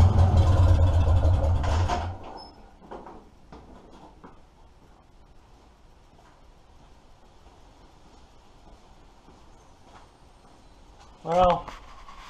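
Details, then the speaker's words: 1947 Farmall M tractor with the muffler pulled off: loud, raw, steady low exhaust beat for a couple of seconds, then it shuts off; engine running evenly without muffler, nothing wrong. "I need to give you guys a little bit of a sound clip without a muffler so there you go"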